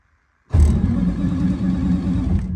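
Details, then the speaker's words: Peterbilt cabover with an 8V92 Detroit diesel, a little cold, after fitting a new Delco Remy 39MT gear-reduction starter: it bites hard and spins the engine strongly and evenly; a healthy starter. "oh that sounds like a heck of a lot more power it's a little cold"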